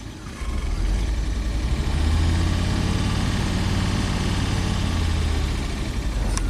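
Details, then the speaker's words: Rare abandoned Audi turbo, just restarted after reinstalling a blown fuel line, which then leaks again: rough, uneven, lumpy idle that stumbles over the low engine drone; misfiring at idle. "it's running it's misfiring like I"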